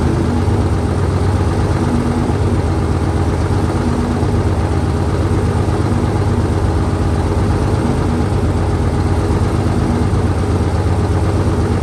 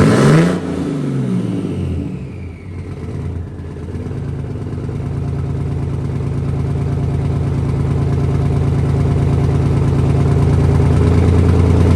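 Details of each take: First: 1968 Dodge C500 truck on a cool day, about 15° colder than before, started via jump from another truck and starting fluid: low, steady idle rumble at an even pace, no knocking or misfire; idling fine. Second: 1968 Dodge C500 truck, cold first start after long storage, 55°F day; catches after a few cranks, settles to steady, slightly lumpy low idle, lots of smoke, oil pressure up, building air to 90 PSI; smoky idle, cause unconfirmed.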